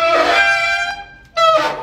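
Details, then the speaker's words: Bicycle disc brake: loud high-pitched squeal, about 650 Hz, in two bursts as the brake bites. Caused by a wet disc from rain or dirt on the pads; pads can be sanded. "ja herrlich wenn es so klingt wenn ihr bremst dann eigentlich nur aus zwei Gründen entweder ihr fahrt gerade im Regen und eure Scheibenbremse ist einfach nur nass geworden oder aber es ist Schmutz auf euren Bremsbelägen gelangt"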